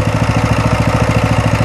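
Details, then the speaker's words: Coleman CT200U trail bike engine idling normally at a steady low speed, an even quick putter, after fixing the high idle at startup by bypassing the governor (removing two 8 mm bolts). "see everything works the way it's supposed to and i got no more uh high idle"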